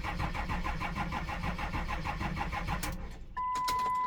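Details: Truck with two batteries, sitting for a week after an extended-cranking problem was fixed: steady rhythmic cranking about three beats a second for nearly three seconds, then it catches and starts cleanly.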